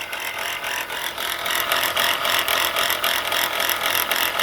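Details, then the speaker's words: Engine running with a harsh, hissy metallic rattle pulsing three to four times a second from under the engine area; the alternator bearing appears shot, with brown residue around it and its pulley visibly wobbling. "like the alternator bearing is shot. And based on the appearance of, see all this brown stuff around in this area? See how that pulley bouncing around?"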